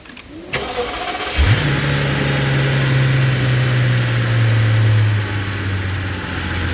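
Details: 2005 Mercedes SL65 V12, 97k km, after ECU repair with original tune, fuel over a year old in tank: cranks, catches within a second, revs briefly, settles into smooth steady deep idle, no knocks or misses; healthy.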